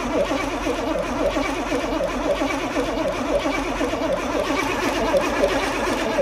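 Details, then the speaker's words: 1982 Pontiac Trans Am Crossfire Injection, parked 30 years: steady even cranking on the starter that never catches; 60 psi oil pressure, injectors clicking, but no fuel due to dead fuel pump. "I can hear the injectors clicking. Yeah? Yeah, but no fuel unfortunately."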